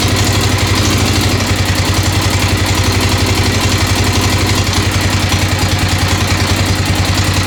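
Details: 1996 XR600R assembled from parts of seven bikes, cold first-start idle on choke, steady thump with a light regular tick on top. The owner suspects the valves need adjustment, right front, not confirmed.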